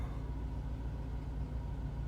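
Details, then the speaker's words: Mercedes 500SL R129 M119, cold start after sitting over a month, about 60°F: low deep idle pulsing unevenly, not settling; lumpy rough idle expected to smooth out as it warms. "cool little it's a little lumpy it'll straighten itself out"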